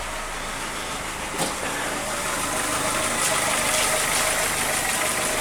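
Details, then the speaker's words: Audi 80 petrol engine idling cold after the distributor cap was corrected and the plug leads swapped back to the right cylinders; steady, unbroken beat, no misses or hunting, slight camshaft tapping only; rotor still due for replacement; normal idle. "А до речі тишина не жужить є ще парагальош Отак має працювати двигун ну щоце холодне"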